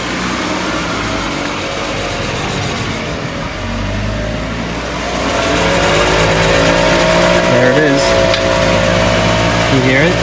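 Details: 2018 Subaru Impreza with 36,000 miles, raised on four jack stands, a helper pressing the gas while each wheel is checked by ear. The engine hum rises with wheel speed over a rough growl, which appears above 30–40 mph when driving. Worn wheel bearing.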